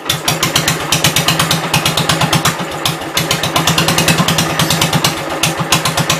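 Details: 1972 Gravely 430 single-cylinder engine running normally after fuel system restored up to the carburetor (small drip at fuel pump inlet): crisp, steady even popping, no knocks or rattles; high-low axle works, moves forwards and backwards.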